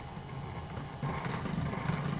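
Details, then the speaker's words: Lionel 6-38024 TMCC PRR S1 duplex, Odyssey off: soft uneven low clicking each driver turn as the front driver hops; the fireman's-side front power reverse piece was binding on the main rod at 12 o'clock, later fixed by loosening screws and bending it out. "I'm still hearing like a hopping you can see it jumping question is this a side Rod issue or is it a gearing issue it feels like it's the front driver very perplexing"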